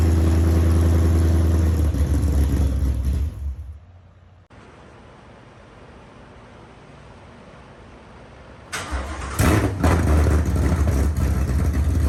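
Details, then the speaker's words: Ford Coyote V8 swapped into a Fox body Mustang, first start after the engine sat three-plus years, with a sensor plugged back in and crank position sensor codes cleared: catches, settles to a deep even lope, then revs crisp and clean with no misses or knocks; healthy. "I'm super excited that this thing started up I did not expect it to go that easy didn't expect it to sound that good"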